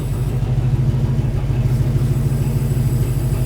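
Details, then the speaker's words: 1953 Studebaker hot rod, undriven for over 60 years, started after work: steady even low rumble with smooth unbroken beat, no knocks or misses; idles cleanly. "So smooth, dude. hear that thing. >> So good. >> So good."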